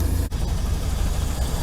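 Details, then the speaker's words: Old campervan started after sitting all winter, despite a tune-up last year: steady low drone holding a fast, even high idle in park and neutral, wanting to die in drive or reverse; owner suspects a vacuum leak. "Throw it in park, idling high. See that? Throw it in reverse, wants to die. Neutral, high idle."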